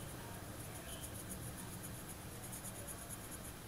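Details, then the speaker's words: Daiwa Revros LT 5000 spinning reel, right-side drive gear bearing showing corrosion, turned by hand after cleaning: faint regular dry ticking with gritty rasp; worn ball bearing, to be replaced. "Nah, kalau teman-teman dengar, udah saya bersihkan, ada bunyi."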